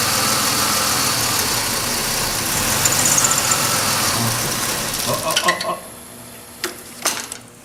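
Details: 2005 Chevy Impala 3.4L with intermittent no-start or start-and-stall: during a wiggle test of the camshaft sensor wiring harness, the engine roar wavers then drops out abruptly. Unstable idle and stall; the fix was that harness.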